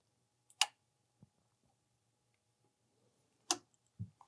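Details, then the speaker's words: Sharp single click, then quiet handling noises, as the I/A tubing cassette is inserted slightly tilted and pressed down on a Faros eye-surgery platform during vitrectomy pack setup; the click confirms the cassette is correctly installed. "Then, insert the cassette slightly tilted. Press it down until you hear that clicking sound."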